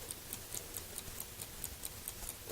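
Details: 1969 Ford Mustang dash clock, freshly lubricated, mainspring movement with points-and-solenoid rewind: crisp, even ticks about four per second, light and steady with no stumbles; the serviced clock runs properly.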